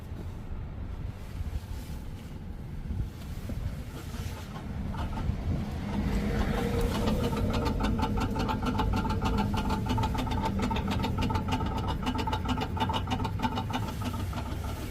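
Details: 2024 Mazda CX-90 PHEV Premium, 5,900 miles: loud coarse buzzing grind from parked, switched-off vehicle after driving in EV mode, fading after several seconds; first heard after dealer service with recalls; cause unknown.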